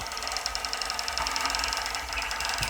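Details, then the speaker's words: Custom RC tower crane during lift test with trolley moving: fast, even high ticks about ten a second over the motor hum; motor clicking has been present all along, not the driveshaft, spool or bearing, cause unknown. "wow okay we notice it's clicking a little bit we can hear the motor clicking is there any reason why honestly i don't know it's done that the whole time"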